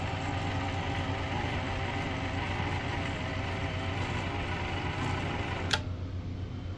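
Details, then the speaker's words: Pfaff Hobbymatic 807 sewing machine after fix: smooth even motor hum, no buzz or rattle; buzzing was caused by flat spot on rubber motor drive wheel against hand wheel. "This no longer has the typical buzz for the uh FA Hobby Matic 807. This is what it sounds like now. used to vibrate and rattle really bad."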